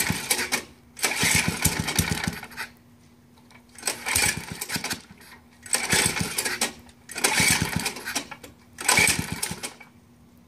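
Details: Baja bike with rusted motor, first time trying it; repeated short bursts of cranking and sputtering, about two seconds each with pauses, never catches. Fails to start, cause not confirmed.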